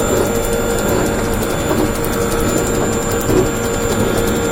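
A steady fast ratcheting click rides over a constant mechanical hum, gear-like and regular; abnormal, source unclear.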